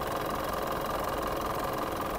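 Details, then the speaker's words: Mitsubishi Montero 4D56 diesel idling: loud, rough, clattery running with a constant breathy roar, strong oil spray and some smoke; mechanic diagnoses heavy blowby from worn piston rings and liners, needing a general overhaul rather than just EGR cleaning. "hindi maganda yung tunog niya hindi ko gusto yung tunog niya para sa isang Montero na 4D 56 hindi dapat ganito ang tunog nung engine na to at dahil sa malakas ang talsik ng langis at Ayan medyo umuusok na siya yun ang delikado"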